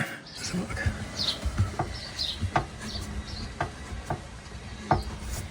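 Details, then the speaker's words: Jaguar XK8 (X100) manual swap, rear jacked up: irregular sharp metallic knocks every second or so over low rumble; CV joint lightly tapping exhaust, needs small repositioning for clearance. "Is that the culprit? The CV joint's touching the exhaust."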